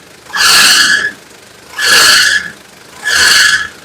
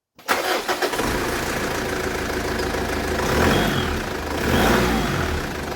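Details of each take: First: Engine: three sharp high squeals, each about a second long, in bursts over a quiet engine; loose fan drive belt slipping, needing adjustment or replacement. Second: After drive belt adjustment, tightened leaving slight play: catches within a second and settles into a steady, even idle with no squeal or chirp; normal start, belt noise gone.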